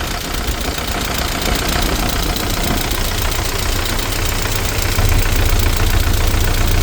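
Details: ZMZ 409 engine at idle: a steady, fairly regular knock of about 220 per minute over the engine, attributed to hydraulic lifters and the timing chain.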